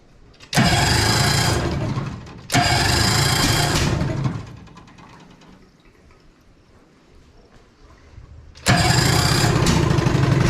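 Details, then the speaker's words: 1973 Evinrude 18 hp two-stroke twin outboard on a 14 ft aluminum boat, run in a water bucket with a broken choke: short bursts of uneven, stumbling running; missing at idle, cause unknown. "there we go sounds like it's missing quite a bit but at least it runs good"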